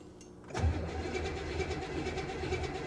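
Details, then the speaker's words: 1992 BMW 325ic at a Copart salvage auction, spitting from the exhaust, which fired right up last time: steady starter churning for several seconds without catching. It cranks but will not start; flooding is suspected. "i wonder what's going on and with that i probably just flooded her okay guys i'm not going to sit here and just crank on her"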